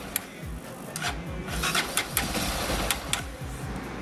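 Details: Honda CB300 (2012–2013) single-cylinder engine cranking normally after the starter clutch gear behind the rotor was replaced; earlier it clacked on starting. Steady starter whir with even low compression pulses, no harsh clack, run without oil.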